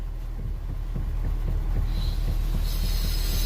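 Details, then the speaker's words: Nissan Versa with electric power steering, customer complaint of noise at steering wheel: dull low thumps a few times a second as wheel is worked; steering rack bolt tightened as suspected fix, exact part unconfirmed. "ó Nissan Versa ó problema desse Nissan aqui ele tá falando que tem um barulho"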